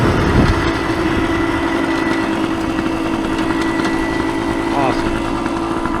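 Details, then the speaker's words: 1975 Suzuki TS125 Duster two-stroke after carburetor cleaning and reassembly: crisp, even buzz revving cleanly through the RPM range, mechanically quiet with no rattles; possibly still burning off excess oil from long storage. "yeah give be a little walk around here with it too you can hear the engine is mechanically quiet no rattles VI ations nothing like"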